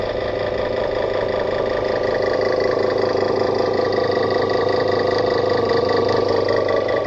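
A steady, heavy, diesel-like chugging drone runs evenly throughout with no let-up: the cooler's compressor is knocking loudly, cause unclear.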